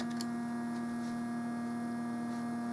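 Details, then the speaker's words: Homemade tape recorder: tape-head preamp and tape motor share one power supply; steady low buzzy hum whenever the motor turns in play or fast-forward, motor noise feeding through the shared supply into the preamp. "now I'm powering this and the tape motor from the same power supply and I'm sure you'll notice right away when I put this into play or fast-forward or anything that involves the motor turning"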